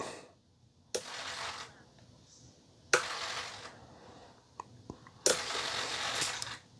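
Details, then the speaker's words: Flap servo that hummed at full flap deflection because it was straining against resistance at the end of its travel; after the endpoint was lowered one click, set to 98, three short whirring sweeps end in quiet with no lingering buzz. Normal servo operation. "just like that, I silenced it. So the servo is no longer, and the reason why that happens is there's like resistance against the servo when it's fully trying to go to that full position, and it's like fighting against it."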